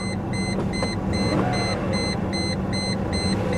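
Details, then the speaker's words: Mercedes S420 W140 salvage car, jump-started with a booster pack, A/C on but blower not working, no gauges: a rough, uneven V8 idle misfiring badly, with a steady warning chime beeping. "it's not doing anything but boy she is misfiring oh"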